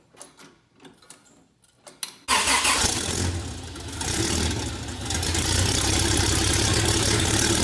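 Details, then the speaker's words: Rebuilt 1977 Toyota 2F engine in FJ45 with H55F 5-speed, new rings, bearings, shaved head, new carb, headers, first start for break-in: brief crank, clean catch, smooth even fast idle, no knocks or misses. "I've also got one of these RPM gauge so that we can get the engine up to 1,500 rpm about 15 minutes so we're gonna fire it up break everything in"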